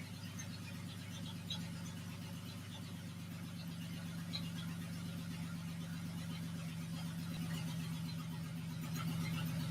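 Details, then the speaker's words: Honda J-swapped Porsche 914 on first startup, fast idle: a steady clack about four per second; heard on the passenger side, owner wonders about a loose bolt, cause unconfirmed, compression test planned. "sure sounds like a mechanical clack clack clack though i'm not sure what's going on"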